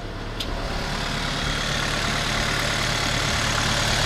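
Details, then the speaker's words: 2013 VW GTI after water pump replacement and new belt: engine rises smoothly from idle with clean revving, no whine, rattle or squeal; now quiet, running like a brand new engine. "It should be quiet now. Engine run like brand new engine."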